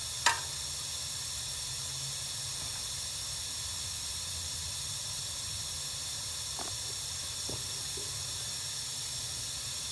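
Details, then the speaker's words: Lennox gas package unit, no cooling or heating call: refrigerant added through gauges (little over 1000 psi on hand) to locate leak; steady sharp hiss of gas escaping from the pressurised system, leak easy to find. "let's just throw some in here and see how quick we hear it coming out"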